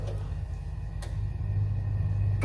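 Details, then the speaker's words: Ideal Isar HE35 boiler showing an LF fault, restarted with reset: steady fan hum with sharp ignition clicks about every 1.5 seconds, burner never lights; tries three or four times before locking out, spark generator under test: failed ignition attempts. "and you can hear it trying so ignite so I'll do this about three times three or four times before shutting down and showing the fault"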